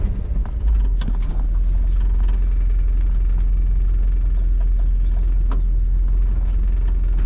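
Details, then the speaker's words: 1962 Ford Galaxie V8 that sat over 20 years, driving on gravel: deep, even rumble with tyre crunch beneath and no knocks or stumbles. Running pretty good, engine healthy. "still running yep mhm good running pretty good not going to lie"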